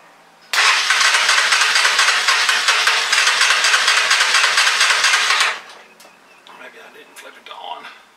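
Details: Honda Fourtrax 300 ATV, not run in years after sitting outdoors: about five seconds of fast, steady starter whirring, about three turns a second, then stops without catching; had spark but lacked fuel.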